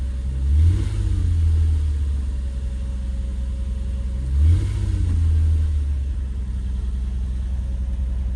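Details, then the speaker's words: 2004 Nissan Murano after replacing the bad fuel pump that caused start-then-stall: steady smooth idle with two brief even revs rising and settling cleanly, no stumble; engine runs smoothly with no issues. "Okay guys, so just like that we got the car back running. It's running smoothly and has no issues."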